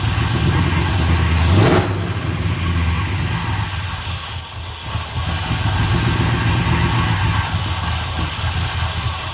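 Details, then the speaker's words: 1965 Plymouth Satellite V8 just fitted with an Edelbrock 800 cfm AVS2 carb (replacing a 1407 750 cfm), no choke, mixture screws 1.5 turns out: loud, uneven idle with rushing hiss and unsteady lope, from a vacuum leak at an unplugged port on the back of the carb. "yeah that sounded like a massive early you know vacuum leak wasn't the uh intake it's the back of these carbs they got a massive hole in the back right i forgot didn't have a plug in it"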